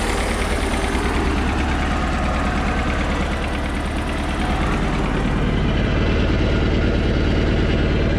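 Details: Mercruiser inboard after starter solenoid replacement, starting first try without pumping: steady, even low idle with a regular firing beat and no misses or knocks; normal idle.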